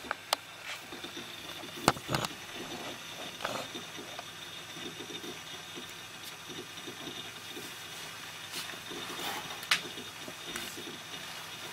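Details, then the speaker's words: Quiet budget desktop, i5 with Arctic Freezer i30 cooler and fans at low RPM: soft irregular ticking and chatter over faint hiss as the HDD performs heavy read/write while Windows starts; drive is the loudest component. "so so yeah as you can hear the most noisy guys the hdd this window is starting it's using a lot of read and write cycles"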